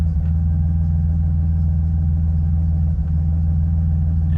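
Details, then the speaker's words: BMW E46 still warm, check engine light on right away: deep uneven idle that hesitates and stumbles, a misfire; code points to camshaft position sensor although a good new one was fitted. "You can hear it when it when it stumbles. That misfire."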